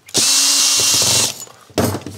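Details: Makita DDF486 cordless drill that only made odd noises, electronics fault repaired: clean steady high whine just over a second, smooth spin-down, no grinding; normal no-load run.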